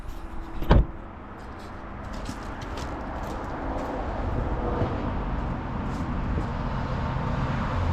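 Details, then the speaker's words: 2005 Honda Odyssey after a starter replacement (it had only clicked before): a short clunk, then the engine catches promptly and settles into a steady, even idle. The new starter works normally. "foreign got him all right she runs that's great"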